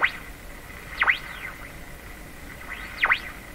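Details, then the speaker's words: Canadian Westinghouse Model 684 radio, broadcast band, signal generator modulation off: whistling tone swoops up and down about once a second over faint hiss, a beat from the oscillating IF stage. "The IF is oscillating. The IF is oscillating right now. It's oscillating without modulation, so you can't hear it in the speaker."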